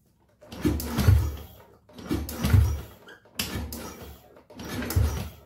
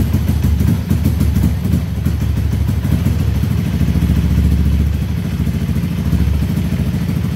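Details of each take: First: Honda Beat ESP scooter with a reported total no-start, after a faulty ground signal was traced: four short dull groans, starter barely turning and never catching; battery too weak to crank, so kick-starting is tried next. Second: Honda Beat ESP scooter, battery too weak to crank on the starter, kick-started after a faulty ground signal was fixed: catches and settles into a steady, even single-cylinder beat with no misses or knocks; normal running.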